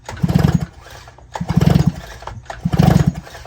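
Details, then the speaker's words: Two-stroke chainsaw/brushcutter pulled over with spark plug removed: three slow soft low puffing bursts about a second apart, the "flop" of transfer compression; healthy transfer compression. "Flop, flop, flop. Flop, flop, flop. Compressão de transferência."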